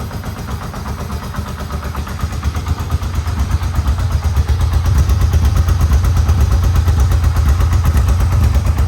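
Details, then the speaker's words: Yamaha Vmax engine, rebuilt from the frame up, first start after rebuild with no airbox fitted. An even, steady idle around 1,000 rpm with regular firing pulses and no knocks or misses; oil pressure is good. Normal idle. "how's that oil pressure going oh that's fantastic look at that well I haven't had one stock first pick before so we're about 1 000 RPM now"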